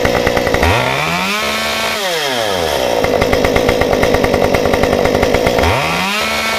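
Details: Stihl 193T climbing saw with muffler mod, about 8–9° timing advance, 93 non-ethanol fuel, hot restart after 5 minutes off; previously stalled on throttle and high-idled when hot: fires on the pull, revs and drops cleanly to steady idle, crisp blips, no stalling.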